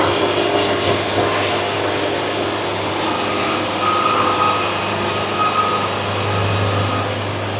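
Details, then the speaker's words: Bandsaw sawmill on narrow boards, governor released and feed speed raised several notches to pretty high: steady engine drone under load with constant blade hum, no bogging; normal cutting tone, almost no sawdust, 5 1/4 inches per band revolution. "Now I'm starting to get my tone."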